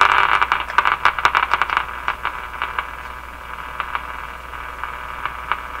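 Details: General Electric KL-70 6-band AM/SW radio, restored five years ago with remaining faults, on AM band at first power-up: irregular crackling, rattly hiss, loud pops early then fainter, no voice or music. AM is dead; owner suspects a band push-button must be depressed.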